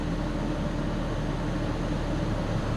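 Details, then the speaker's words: Nissan Xterra at idle after fitting Walker Quiet-Flow mufflers and a new pipe to both catalytic converters in place of broken pipes: soft, even low hum with no rasp, rattle or blowing underneath; exhaust sealed and quiet. "And I don't hear any loud noise coming from underneath. And it sounds pretty good. I like that sound. Nice and quiet."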